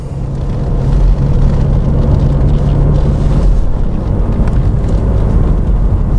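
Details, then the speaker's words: Jaguar XJS with GM automatic transmission, driven slowly in a lower gear: low, steady drone, a humming like farming machinery, normal for these transmissions and nothing to worry about. "If you drive slowly on the lower gears,- -in particular the V12:s, you might hear- -a humming sound from the GM transmission. It’s quite normal, nothing to worry about."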